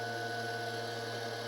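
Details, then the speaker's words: DM36D dynamotor fed 24 V from a power supply, rated 220 V DC output but measuring only about 154-161 V and dropping; steady electrical hum with fixed whine near 500 Hz and higher tones, motor spinning evenly; cause of low output unclear. "you can hear that thing running that motor running in the background though"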